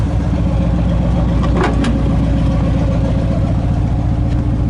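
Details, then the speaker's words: 1986 Chevy K20 truck, started after sitting close to a year, fixed with a new battery and new terminals, about 14 volts: steady, even low rumble at about 220 firing pulses a minute with no knocks or misses; normal idle. "But right now it is running, so that's very exciting."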